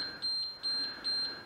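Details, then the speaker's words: Large diesel generator set from auction, after a frequency-error shutdown during a throttle test: a steady high beeping in pulses about every 0.4 seconds with the engine stopped. Controller fault alarm. "all right so it looks like we've already different era now so you can generate at all that frequency"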